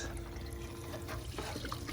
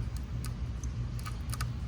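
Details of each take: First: 12 V pump run directly from a 100 W solar panel with no battery, lifting water about 3 feet: steady low motor hum under splashing, gurgling water at an even pitch; the pump runs strong and healthy. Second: Harbor Freight 1000 gph pump wired directly to a 100 W solar panel without battery: sharp irregular clicks, about four a second, over low hum, with sparking; motor tries to turn but never starts, likely drawing too much current.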